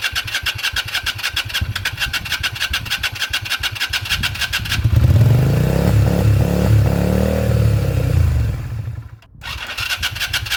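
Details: 2001 Yamaha XVS125 Drag Star not started in 3 years, new battery fitted, oil checked, fuel added: steady rhythmic starter churning, a brief louder surge that dies away, then more cranking; turns over but never catches.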